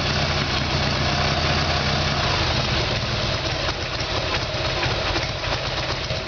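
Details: Harley-Davidson Evolution Sportster, rear cylinder was not firing: lumpy, uneven V-twin idle with stumbling, irregular firing that never settles; carburetor fault, before new iridium plugs and timing.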